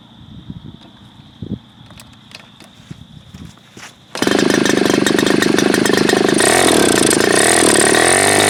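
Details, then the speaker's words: Super Tigre G4500 glow engine, first run, before low-speed needle adjustment: fires after a few start attempts and runs loud, buzzy and uneven at low speed; rough idle, owner suspects it is a little rich on the low end. "So I think it's safe to say it might be a little rich on the low end, perhaps."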